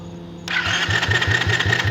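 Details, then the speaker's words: Quad (ATV) engine turned over with the starter after reinstalling the cam cover bolt: even compression thumps about five a second, spinning full speed and feeling free, no scraping or rubbing; normal free cranking, though owner thinks he may hear very minor valve or cam rubbing. "sounds like it's spinning full speed it feels free"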